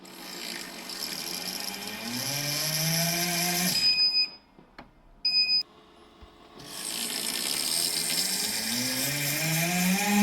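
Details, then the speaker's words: Makera Carvera Air CNC spindle: rising whine under harsh hiss and rasp, with the tool-changer block running very hot, mainly at the top; caused by a broken internal pin perpendicular to the spindle axis rubbing the tool changer, which stops the spindle reaching speed and triggers an error. "Donc c'est un problème dans lequel ça la machine se met à faire beaucoup de bruit, [grognement] euh le bloc chauffe beaucoup, surtout au niveau du haut"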